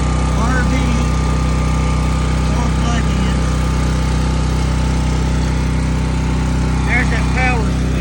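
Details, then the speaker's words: New Sportsman 4000 dual fuel gas/propane generator restarted within a crank or two, running loud at 120 volt setting; steady constant-pitch drone, no misses or surging, governor holding, normal running. "switch I'm going to shut it off it's too loud so it started back within a crank or two couple tranks"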